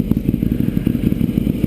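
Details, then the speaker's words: 2009 Ducati 848 after fuel pump hose repair, refilled with about half to 3/4 gallon: takes a few extra cranks because the fuel hoses were empty, then a crisp, throaty twin idle with no misfires or clatter; healthy. "oh yeah that's what I like to hear it took a few extra cranks but that's expected uh since the fuel hoses were empty doesn't she sound good"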